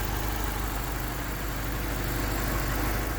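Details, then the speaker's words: Honda D16Y8 warmed up, timed to 16 degrees with a P28 ECU, after installing a new header to replace a cracked exhaust manifold: smooth, even four-cylinder idle with no ticking or knocking, so the engine sounds healthy. "It's pretty quiet now, it's not knocking or anything, so we're gonna go for a drive and just see how it is."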